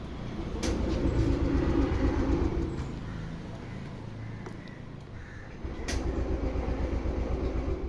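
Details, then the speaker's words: TVS Jupiter BS6 scooter with hard starting and stalling: steady starter churning about four beats a second in two long bursts, never catches; cranks but won't start. A different spark plug later let it start but not idle. "Start ആവുന്നില്ല എന്ന് പറഞ്ഞു അപ്പൊ നേരത്തെ ഇടയ്ക്ക് start ആവുമായിരുന്നു photo start ആവുന്നില്ല"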